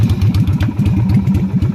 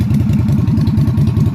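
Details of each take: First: Yamaha Virago XV250 (Route 66 edition) V-twin on open straight pipes: rapid, loud, uneven idle pulses with a sharp bark and no muffling; failed inspection for the straight pipes, and stock mufflers are to be cleaned and welded back on. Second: Yamaha Virago XV250 (Route 66 edition) V-twin on a newly fitted replacement carburetor, no choke cable installed, being revved: lumpy but steady beat at a fast idle with even pulses and no misses; runs fine, though the carb still needs much adjustment.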